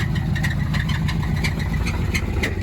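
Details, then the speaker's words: 2010 Ram Sport at 183,000 km that needs an engine, with suspected bottom-end noise and serious knocking. A sharp metallic knock about three times a second rides over a rough idle; the cause is suspected, not confirmed. "It's got some serious knocking going on. I think I'm gonna go help push."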